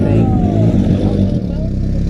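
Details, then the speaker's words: Turbocharged Honda CRX on the dyno after fitting bigger injectors and fixing a fuel leak, before tuning: engine revs up and settles cleanly with even firing and no stumble, miss or ticking; sounds way better, normal running. "That sounds way better."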